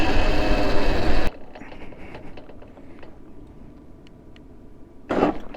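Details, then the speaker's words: Electric motorcycle (ELX600 build, 96V 88.2Ah battery, Fardriver controller) in gear 3 with phase current lowered from 1700; drive noise cuts to silence about four seconds then surges back as controller trips phase current overflow; speed ratios, PC13 and PID changes didn't help. "I'm not going to just slam it here we go okay well we just cut off phase current overflow"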